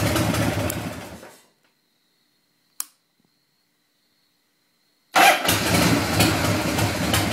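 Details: Shovel engine cranking in two bursts at about three or four beats a second, split by silence. It turns over repeatedly but never catches: a crank, no-start.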